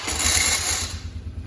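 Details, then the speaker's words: Polaris Magnum 425 ATV with a good battery fitted, starter button pressed: about a second of harsh, high metallic grinding, then fading; starter drive grinding on cranking, attributed to a sprocket problem rather than the transmission, possibly a low-cranking-amp battery. "Okay, very obnoxious noise to start. That's not completely uncommon. You will hear that noise if your four-wheeler battery does not have enough cold cranking amps, doesn't have enough juice to get that four-wheeler started."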